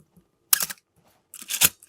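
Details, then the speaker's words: Canon A-1 after lubricating the mirror-box gears, advance lever refitted to test: two shutter firings with a dry, raspy hiss dragging behind each snap; still sticky and coughing, needs more working in. "And I think we, he's still got bronchitis a little bit, as you can tell. We're just gonna keep working it out."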